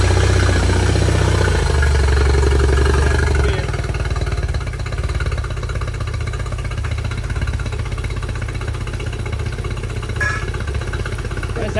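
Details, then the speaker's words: 2005 Yamaha T50TLRD 50 hp outboard after head decking and new head gasket: lumpy uneven idle with beats dropping out every few turns; one cylinder missing, dirty injector suspected, unconfirmed. "like it's still missing"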